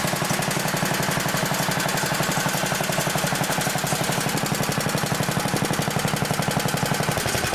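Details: Old 1960s Briggs and Stratton single-cylinder, about 10 hp, Hale fire pump unit, freshly tuned, fresh oil, some old gas left: steady even chuff at idle, evenly spaced beats, no misses or knocks; runs fine, a bit smoky, owner suspects worn rings.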